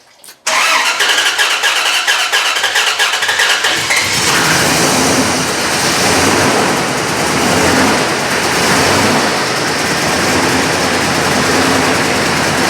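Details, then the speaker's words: 4.7 HO V8 from a Jeep Grand Cherokee, replacement engine in a Dodge Ram 1500, after the timing jumped: it catches and roars, then lopes unevenly while warming up. No oil pressure, won't stay idling, no banging. "it's not banging or anything if i got no oil pressure it won't stay idling"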